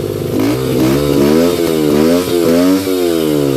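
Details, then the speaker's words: 2005 Yamaha 125cc dirt bike, previously dead, with the carburetor reinstalled and run off a 12 V marine battery; crisp throttle blips rise and fall cleanly and settle without stumbling or popping; runs great; normal running. "So it runs great."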